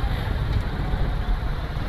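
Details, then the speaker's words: Motorcycle idling in gear with clutch lever pulled but loose clutch cable, bike still creeping forward: steady low engine rumble with an abnormal noise; clutch not fully disengaging and dragging, which damages clutch plates. "ये देखिए ही इस तरह की आवाज आ रही है ये देखिए तो ये जो आवाज होती है ये नहीं आनी चाहिए बाइक बिल्कुल रिलैक्स होना चाहिए ये क्लच क पू पकड़ा नहीं जा रहा"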